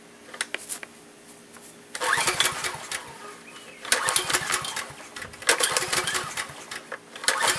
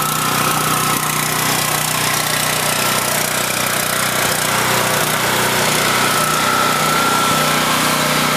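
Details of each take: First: Generator unused for years, little old gas in tank, fuel valve left off: repeated recoil pull cranking bursts every couple of seconds, engine never catches; no start. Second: Husky 5000 W generator, unused for years, after fresh gasoline, started first pull with choke, generator output tested: loud constant high-pitched buzz at steady speed, no surging or sputter; runs like new.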